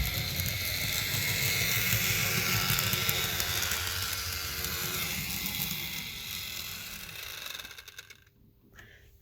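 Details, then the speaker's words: Fleischmann BR 51 model locomotive, all four driven wheels spinning: harsh, high-pitched whirring buzz from motor and gears, then fades; excessive noise though it runs well, owner guesses the motor rather than gears, considers oiling the drive shaft. "I don't know why but I'm having a guess that this is just the engine doing its work and not all the gears that is making all that noise"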